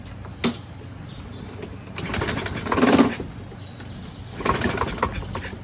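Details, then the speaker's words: Toro Recycler self-propelled mower, Kohler 6.75 engine, choke closed and starting fluid sprayed in; short recoil-pull whirs with no firing or catch: no-start on recoil pulls, later traced to rusty flywheel and fouled spark plug. "Even with a lot of pulls, jism right through the thing, you've got absolutely not even an inkling of it starting."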